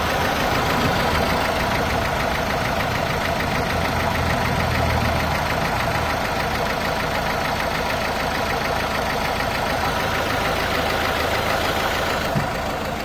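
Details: Renault/Dacia 1.5 dCi diesel with Delphi high-pressure pump: hard, rattly clatter at idle, ticking about three times a second over the engine note; diesel engine knock at idle, cause not clear.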